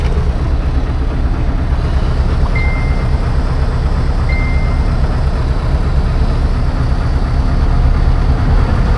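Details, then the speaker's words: 1980 Peterbilt 359 EXHD with Caterpillar 3408 diesel, just fired up after fuel-system work cut down air getting into the fuel: deep, steady idle with an even low rumble, no knocks or misses, two brief chirps; healthy, though it is slow to build air pressure. "it's time let's fired up all the oil pissies that's good uh how's it feel to sit in a running 3408"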